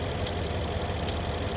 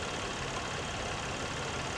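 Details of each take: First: 2011 BMW X6 M V8 at idle, steady low rumble with uneven lumpy beat and occasional missed pulse, running a little rough; occasional rattle that sounds like a loose timing chain; misfire suspected. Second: Petrol V6 at idle, engine bay, salvage auction car; steady even idle with no ticking or knocking heard, seems half decent. Normal idle.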